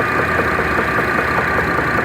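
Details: Idling Chevrolet Traverse engine with a sharp, regular knock tapping about four to five times a second over the hum; engine knock, cause not yet pinned down.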